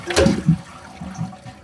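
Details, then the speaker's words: Kohler toilet, about 3–4 years old, flushed with the handle held about two seconds; strong rush of water draining quickly into a gurgle, a full healthy flush to a lower tank level. "Yeah, see that's a bigger flush. The water goes down to a lower level."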